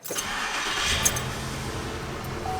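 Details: 2007 Chevrolet Impala SS, 5.3L V8, check engine light with P0523 oil pressure sensor high voltage code; quick crank, then it catches and settles into a smooth, even idle without knocks or ticks: normal start.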